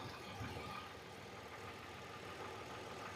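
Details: Hyundai Veracruz, lean code, checked after intake gasket repair by spraying brake cleaner around the gasket edges: quiet steady idle, no popping, stumble or RPM change; engine runs smooth.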